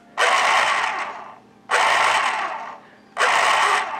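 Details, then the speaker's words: 1980s Panasonic KP-110 electric pencil sharpener stored eight years in a damp basement, before lubrication: three bursts of harsh raspy whirring; motor dry, possibly rusty inside, needing lubrication. "you hear the sound which means it is in desperate need of lubrication it may even be rusty inside we'll see but we'll give it a shot just as is"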